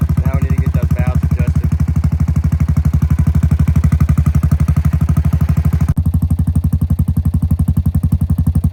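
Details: 2017 Honda Foreman Rubicon 500 IRS 4x4 single-cylinder ATV after a top-end rebuild with OEM rings and valve adjustment, following submersion; steady, even thump over a low exhaust note, no ticking, knocking or misfire; normal idle.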